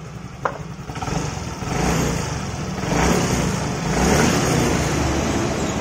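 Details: Fairly new small motorcycle after valve clearance adjustment: engine runs smoothly with a low, even rumble, the loud valve-head ticking gone once the valves were set.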